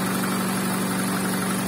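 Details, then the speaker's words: VAZ 2110 8-valve injector, previously no idle and no start without gas pedal; after replacing the idle air control valve, steady even low-tone hum holding smooth idle unaided; normal idle. "ура завелась подняла обороты ну прелесть до всего лишь дело было в датчике точнее в регуляторе"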